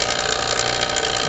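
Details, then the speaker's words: Refrigeration vacuum pump evacuating manifold and hoses (yellow hose to R22 tank) during White Westinghouse dehumidifier Freon leak repair: constant dense buzzing hum, no pitch change, pump running steadily and normally. "And the vacuum pump is running, so we're evacuating the manifold and these hose lines now."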